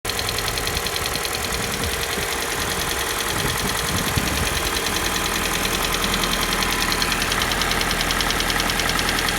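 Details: Kia Soul with the G4NA engine at a cold idle: a light, fairly even knock, about two per second, over the idling engine; cold-start knock of unknown cause.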